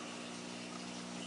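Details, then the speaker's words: Emerson EC 425 tube radio brought up slowly to about 85 volts, with a station faintly audible: a steady low mains hum under the hiss as it warms, meaning the filter capacitors have failed and must be replaced. "this is a good thing that means that the filter caps are gone and we're going to have to change them out"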